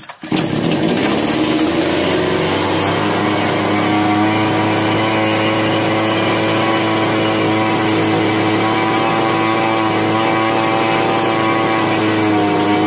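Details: Chainsaw, model 652, with starting problem, hand-choked after carburetor adjustment: catches and drones at a raspy, steady pitch but runs unevenly, starting and stopping; problem not solved, mechanic suspects a sooted spark plug next.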